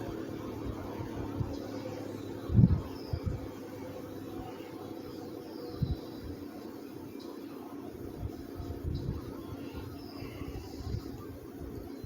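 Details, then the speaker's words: 1950s Wizard reversible box fan after cleaning and service, running on low speed: soft, even low hum with no rattle or scraping, a couple of room bumps; low speed seems slower and better than before. "it even has a has an even better uh low speed than it did before it seems like those speeds seem like it was a it was a little bit slower"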